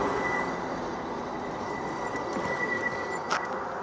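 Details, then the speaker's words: Ridstar Q20 e-bike on its first major ride: thin steady high squeal above road rumble while descending a hill; rider suspects worn-out brake pads, also wonders about the reflector or fender, cause unclear. "but see, I can hear that. Something in that brake. I think those brake pads are just toast."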